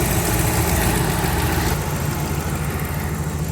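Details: 2009–2014 Dodge RAM 1500 5.7L HEMI V8 after new serpentine belt and tensioner (torqued 32 ft-lbs) replaced a chirping, squealing belt: smooth, even idle, steady low rumble, no belt squeal or chirp; normal idle.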